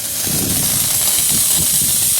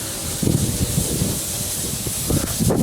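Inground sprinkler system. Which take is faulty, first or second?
second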